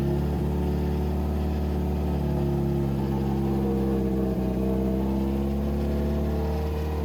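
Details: 2007 Subaru WRX swapped to STi engine, break-in run at about 2500-3000 rpm for 15 minutes: steady, even raised idle, smooth low drone, no knocks or misses; normal fast idle.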